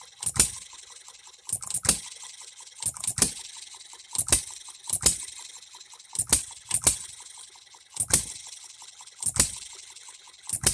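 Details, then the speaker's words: Economy hit-and-miss engine after new piston and re-ring, freshly oiled, no cooling water yet, seating rings: sharp firing bangs about once a second, some paired, with quiet coasting gaps; hits hard, healthy hit-and-miss cycle, governor to be slowed. "it hits pretty hard it's lifting that up and we are hitting and missing now"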